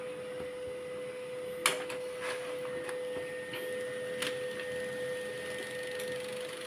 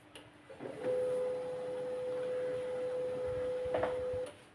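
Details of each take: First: Canon LBP 2900 laser printer after repair of a scanner error and paper feed fault: even, steady mid-pitched hum with light irregular clicks from paper feed, no grinding or stalling; printing normally. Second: Canon LBP 2900 laser printer with Scanner Error, power-on: a steady mid-pitched motor hum that quits after roughly three and a half seconds, so the startup cycle doesn't complete; the laser scanner motor is stuck.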